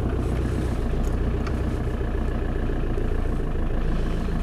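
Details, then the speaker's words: Land Rover Defender 90 200Tdi hardtop, 119,500 miles, diesel started from stone cold: even, steady clatter at idle with no stumbles, misses or smoke; healthy cold-start idle. "There she goes from stone cold, no problems at all. No smoke. Very good."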